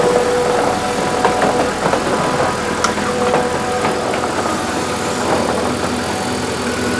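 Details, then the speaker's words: Proton Wira returning to the road after 12 years, idling with the airbox off: an even, steady idle with no whine from the tank. The fuel pump noise is fixed by spacing the pump up with thicker gaskets. "Bit better, isn't it? I certainly can't hear that."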